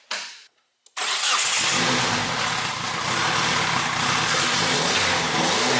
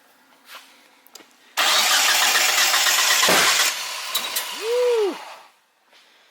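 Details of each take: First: 1G GSX big-turbo AWD build, Mitsubishi 4G engine after going back to factory-style four-output coil pack with spark plug wires: cranks briefly, catches and holds a steady even idle with no misses; sounds fully firing on all four, normal start and idle. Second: 1G GSX AWD big-turbo build that ran before, being cranked to start. Long harsh cranking bursts with uneven, detonation-like pops and no catch; the ignition coils are all firing together through chafed, shorted wiring, and the coil packs are suspected.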